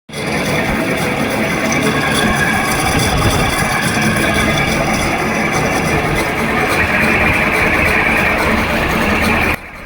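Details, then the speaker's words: Window air conditioner fan motor with worn bearings making a loud, rough, rattling grind over the steady fan whoosh. "यह आवाज़ हमारे window AC से आ रही है। Fan motor से। Fan motor के bearing खराब हो जाते हैं। इसी वजह से यह समस्या उत्पन्न होती है।"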